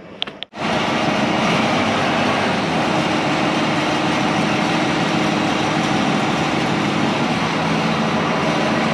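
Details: Restored and serviced IH 175C diesel track loader first run out of the shop: fires almost at once and holds a smooth, steady clatter without misses or knocks; normal running.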